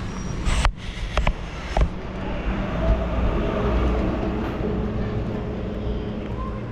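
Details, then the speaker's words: 2008 BMW 520d E60 with new belts, tensioner, tensioner pulley and alternator bearings that still squeaked: after dielectric grease was applied to the belts, the engine runs with a low, even hum and no squeal (a temporary fix). "this one now it's so silent so works"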